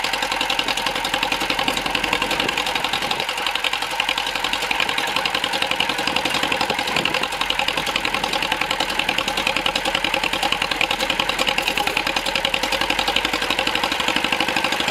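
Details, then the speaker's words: John Deere MC crawler, first start in a year after cleaning grungy points with sandpaper and fuel system overhaul, new muffler: fast, steady popping exhaust beat at even tempo with no misses or knocks; runs and drives normally. "Well, she runs. She moves under her own power, and actually got over here next to the barn so I can continue to work on it."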